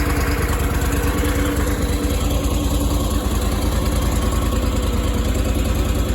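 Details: Power Trac PT-425 with Kohler 25 hp twin after oil leak and conversion kit fix, reassembled and fired: even, steady twin-cylinder drone at constant speed, no knocking, skipping or rattles; normal running.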